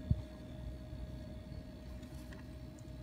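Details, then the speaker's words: LG refrigerator with its linear compressor just repaired (internal terminal had broken), installed and recharged: quiet steady hum with slight vibration and fan audible, running normally; fridge side reading 7°C. "on on entend on sent la légère vibration c'est le compresseur qui est en route on entend le ventilo voilà ça marche impeccable"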